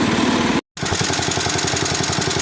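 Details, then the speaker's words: 1961 IH Cub Cadet Model 70 garden tractor, 7hp Kohler single, sat for years: even steady putter about ten beats a second at idle, no misses or knocks. Normal idle. "Yeah, overall, pretty good machine. She does the JOB. This is idle."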